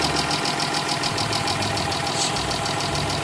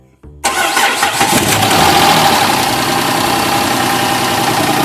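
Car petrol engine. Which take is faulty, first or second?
first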